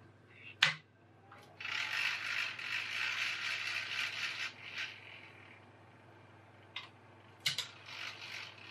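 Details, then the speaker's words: PS2 DVD drive whose tray came out and went back in by itself: short clicks then dry, uneven rattling as tray gears engage; owner suspects the cogs. "let's see if this solves our rattle I know this drive is good and working so yeah so it's definitely cogs"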